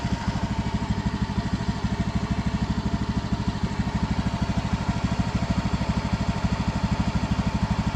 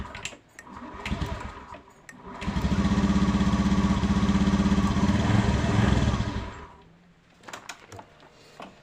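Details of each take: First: Honda Beat FI scooter after a new spark plug was fitted: a steady, even putter at about three pulses per second with no misses, a smooth idle. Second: Honda Beat FI scooter after a battery replacement: it starts and idles with a fast putter, but sputters and won't take throttle, then dies; the suspected cause is ignition or spark plug, and a new plug is to be tried. Misfire.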